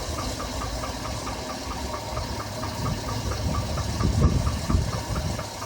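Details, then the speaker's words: 2007 Chevrolet Avalanche V8 idling, with lifters already replaced: a dull, uneven knock repeating about twice a second under the exhaust rumble; the noise was traced to the number 5 piston. "And then he came back because he was still hearing a noise and we determined it was in that number 5 piston."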